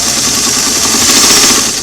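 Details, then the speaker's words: Singer sewing machine on a restored clamshell foot pedal, cleaned and adjusted, no carbon dust and no cracked carbons: light, even motor whir runs steadily without surging or crackle; smooth speed control. "it's all clean it's adjusted nice gonna run smooth there's no carbon dust in there no cracked or broken broken carbons"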